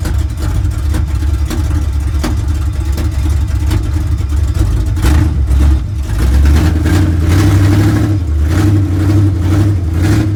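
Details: 1970 GMC with big-block V8, sat 10 years, running in shop: deep rumble with uneven loping idle that stumbles now and then, a miss at idle, cause not yet found; transmission also slips in reverse.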